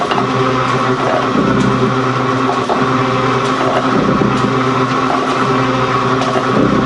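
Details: Gould & Eberhardt 24-inch heavy duty shaper (1912 patent date; owner guesses 1912–1930), just shifted into high speed with the larger pinion engaged, first high-speed run. Steady whir with soft, evenly spaced gear clicks, no grinding or banging: normal running.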